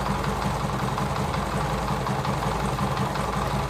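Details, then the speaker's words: TVS XL100 (Super XL 100cc) moped single-cylinder idling after tappet adjustment, heard close up: even, steady beat, no clatter or tapping on top; valve train quiet, engine set perfectly with no problem. "మనకైతే బండి అయితే పర్ఫెక్ట్గా set అయిపోయింది. మనకైతే ఏ problem అయితే ఏం లేదు ఇంజన్లో పడనేది."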